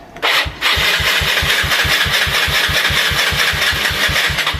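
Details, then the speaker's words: Yamaha Mio Sporty scooter, kill switch wiring installed by cutting the brown wire from the CDI: starter cranks evenly at about five chugs a second but engine never fires; ignition cut, so it won't start. "Pag pinutol ko yun, yung brown na yan. Hindi rin na-andar."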